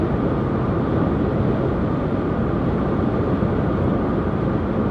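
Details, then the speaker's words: 2020 Dacia Logan/Sandero generation at 130 km/h, inside cabin: steady loud rushing roar, no rhythm or tone; excessive wind noise, suspected from roof bars, mirror area, driver-side pillar and upper roof. "la duci la viteza asta se aude destul de semnificative aș putea să zică aștepta mai mult de la Dacia"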